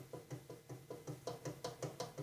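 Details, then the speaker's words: Snapper rear-engine rider mower deck pulley turned by hand: free-spinning bearing with slight play from high use gives soft, steady knocking about five times a second; worn pulley bearing, left in place for now. "play in it you can hear it but as easy as this is to get to I'm not going oops I'm not going to worry about changing it at this point"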